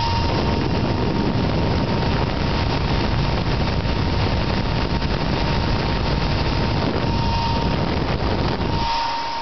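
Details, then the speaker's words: Dell Optiplex GX280 desktop, CPU fan: loud steady jet-like roar with thin constant whine, never easing off; fan running at excessive speed, no known fix. "sounds like a jet airplane taking off but I don't know if there's any fix for it"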